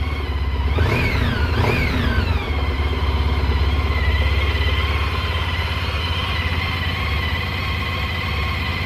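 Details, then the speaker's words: Honda ST1300 running just after a new battery install: steady even idle with two clean throttle blips rising and falling smoothly; old battery seemed low amperage, new one sounds like it has more amps; normal running and revving. "oh yeah oh it sounds like it's got a lot more amps"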